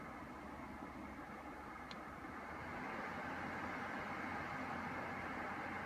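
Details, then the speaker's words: Brand-new Dyson Pure Cool Link tower air purifier/fan recorded about one foot away, level four: soft, steady airy hush like a quiet air conditioner on low, no ticks, rattles or whine. "it sounds like a very very quiet air conditioning unit okay and at level four it's the first time you can actually hear it it sounds a little bit like well you can hear it it sounds a little bit like an air conditioning unit on low"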